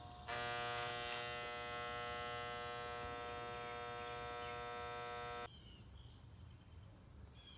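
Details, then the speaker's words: AC unit on a no-cooling call with the blower running and a clean filter, 240-243V supply: a loud steady electrical buzz for about five seconds then cutting out, with no compressor starting; a bad contactor, to be replaced. "we got 243 we got us a bad contactor we're gonna change this thing out get this thing fired up and head on down the road"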